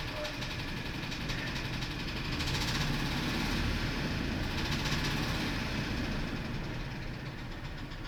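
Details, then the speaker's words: F-150 with 180,000 miles, idling: uneven loping stumbling beat; power balance shows it running rough with cylinders two and six suspect, relative compression has number two down 1%; rough running, misfire. "it's running rough but see like number two and number six might be a concern"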